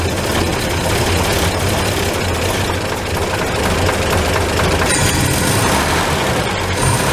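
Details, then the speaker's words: 1949 Chevrolet 3100 pickup, worn 216 inline-six (head rebuilt ~21,000 miles ago, bottom end likely 120,000+ miles), cold idle just after reassembling distributor: rough, uneven, rattly beat; blow-by not yet apparent until warm, owner suspects worn bottom end, low compression. "So the blow by is not really apparent right yet because it's not warmed up."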